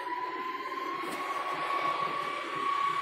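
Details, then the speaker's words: EMC Isilon NL400 NAS (SuperMicro 36-bay 4U chassis, X8DT6 motherboard, two X5670 CPUs) powered up with cover on: steady whine climbing slowly in pitch over a few seconds as fans spool up; normal startup, nothing rubbing. "can hear it humming up, and it's getting there."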